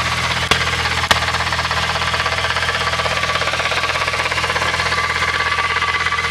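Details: VW MK3 VR6 at idle: a fast, gritty rattle and a faint thin whine from the transmission, from a bad bearing.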